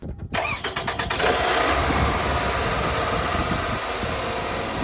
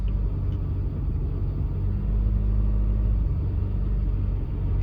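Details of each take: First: Car after new spark plug and ignition coil fixed a misfire, bad spark plug blamed: quick crank catches at once and settles into a smooth, steady idle with no stumble or skipped beats; running well. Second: Car misfiring badly while driving; deep, uneven rumble that stumbles and sags, one cylinder dropping out; code P0303 later confirmed a cylinder 3 misfire, a recurring problem on this car that the owner expects to be an easy repair.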